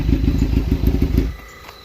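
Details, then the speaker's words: Suzuki GSX-R 600 SRAD, bought cheap after sitting for years, warm at 180° temperature: about a second of deep, even idle rumble with regular pulses before cutting out; healthy normal idle. "Got a nice deep rumble."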